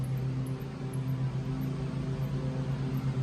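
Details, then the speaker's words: Alternator removed from a 2007-2013 GM Yukon/Suburban/Tahoe/Escalade/Sierra/Silverado, a previously replaced Duralast Gold unit, spun by hand off the vehicle: a low drone with a fast, uneven flutter, clearly a failing bearing. "So that is definitely the sound of a bearing failing."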